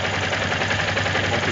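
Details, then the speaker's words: Yamaha Ténéré 250 single-cylinder, under a month old with 690 km, idling: light, quick ticking heard over the steady idle; owner finds it annoying and unsure if normal, awaiting 1000 km service check. "essas batidinhas, esse barulhinho chato, eu não sou mecânico, mas aparenta ser normal, né?"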